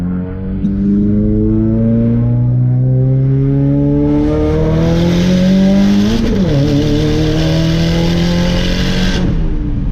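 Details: Subaru on a test drive after a misfire was fixed with new spark plugs, first drive in over a month: engine note climbs steadily, dips briefly at a gear change, then pulls cleanly with no stumbling; normal acceleration.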